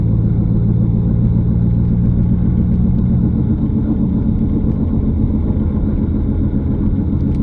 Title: Noise Gets Louder As I Drive Faster - Found & Fixed Wheel Bearing - Other Possible Causes Listed